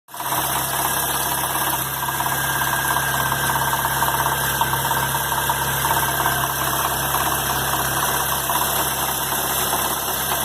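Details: 2011 Chevrolet Agile LTZ 1.4 engine: steady idle with an irregular light ticking about twice per second riding over it; owner asks what causes the engine noise, cause not identified.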